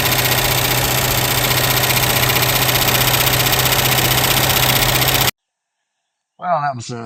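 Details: 1967 Lincoln after replacing a noisy lifter: fast, even ticking about four per second over a steady idle, then cutting out; original lifter noise gone but a quieter lifter tick now on the driver's side, possibly previously masked.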